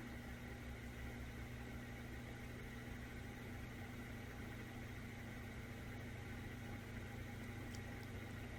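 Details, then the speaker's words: Old ceiling fan after repair of noisy, crunchy bearings: low steady hum with faint even whir, no crunching or grinding, no rhythm on low; bearings running quietly and healthily. "I think it's much quieter than before. Low is where it was annoyingly had a rhythm. It's pretty dang quiet."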